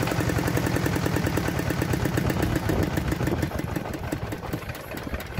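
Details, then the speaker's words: D10 R190 diesel engine after repair of hard starting and a squealing noise behind the rear cover; crisp, even chug about four beats a second, no misses or knocking, idling stable. "Bây giờ là khỏi không khỏi nhá máy nghe nổ và tiến độ thì rất là ổn định"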